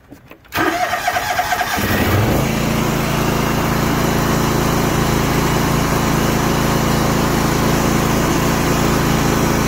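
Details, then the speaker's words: John Deere GX345 mower whose failing mechanical fuel pump, with rubber deteriorating, makes it run only on choke, die or not start. It cranks briefly, catches and settles into a steady single-cylinder putter: hard starting. "it ran but it wasn't very long before without the choke up it wouldn't start"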